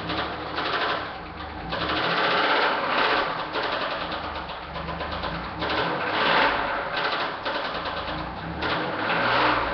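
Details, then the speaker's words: 1998 Chevrolet Camaro V8 with a failed rod bearing, first taken for a lifter tap: started briefly, it gives a fast, hard metallic rod knock clatter. "it was a rod bearing and the bearing totally gave out so I know you guys want to listen to it run"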